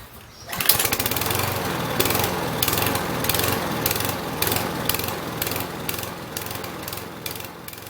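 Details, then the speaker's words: Husqvarna 6021P mower with a Kohler engine, before the fix. The engine surges, its speed rising and falling a few times a second instead of idling steadily. "Alright, just going to do a quick demonstration of the surging problems on the Kohler."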